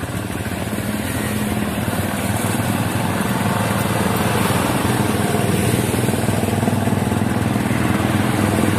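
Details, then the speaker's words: Honda Supremo TMX150 single-cylinder motorcycle, clean fuel, air cleaner already cleaned: uneven stumbling beat about four pulses a second, misfiring and bogging; plug cleaning next. "kinakapos pa rin mga idol may ibang pinagmumulan yung problema nito mga idol"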